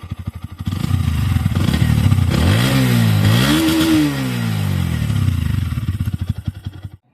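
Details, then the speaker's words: New Bajaj Pulsar NS 125 (CBS/ABS model) single-cylinder revved from idle, checking a reported engine noise: smooth climb through rev sweeps back to idle, no rattle or knock; owner finds no problem, healthy engine. "अब मैं rape करता हूं। अब rape करूंगा इसका आवाज देखना।"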